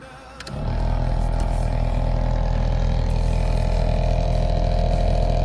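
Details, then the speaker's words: 2002 Chevrolet Camaro original A/C blower motor, about 24 years old, before replacement: kicks on within half a second, then a loud steady roar with constant whine; owner suspects debris and a worn motor, cause unconfirmed. "So you should be able to hear that. I haven't pulled the cover, but it's making a pretty good little racket."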